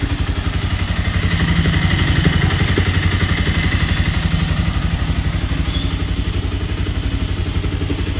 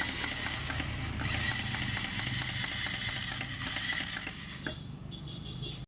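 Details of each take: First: Bajaj Pulsar 220 BS6 single-cylinder, first start after engine-noise repair and reassembly, in neutral: even, crisp beat near four pulses a second with no tapping or rattle; engine runs clean and healthy. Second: Bajaj Pulsar 220 BS6 engine with tank and side panels removed: rapid metallic clatter about four knocks a second over a busy idle; teardown found valves touching the piston and a worn camshaft, piston to be replaced.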